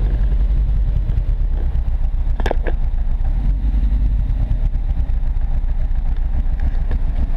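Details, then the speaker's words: Mk1 Ford Fiesta XR2 converted to Jenvey throttle body with Omex 600 EFI, at full throttle: heavy low drone, uneven stumbling beat, missing under load. Misfire persists; owner suspects injectors barely big enough and aimed unevenly into the ports. "no that's full throttle this is still got the misfire yeah kind of sorting it out"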